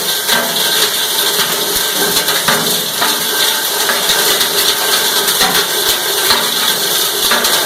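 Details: Cumberland 7.5 hp granulator, 12x12 cutting chamber, grinding PVC (Schedule 40 pipe, P-trap, fittings): continuous rough grinding and chopping with scattered crunches as plastic is fed, no stalling or knocking; normal operation.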